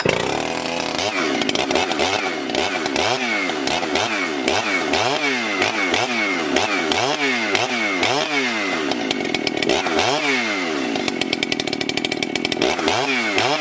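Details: Freshly rebuilt ported Husqvarna 394XP chainsaw, shake-down run cutting a large log: screams at high revs, pitch dipping and recovering each cut, never bogging; pulls strongly, though the low jet may need leaning slightly and the top end richening.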